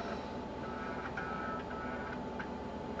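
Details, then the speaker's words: Rebuilt Socket 7 PC booting from a DOS floppy: quiet scattered clicks and short buzzing seeks over a steady hum as the floppy reads and MS-DOS starts. Normal, healthy floppy drive seek. "you can hear that but it's working and starting ms-dos"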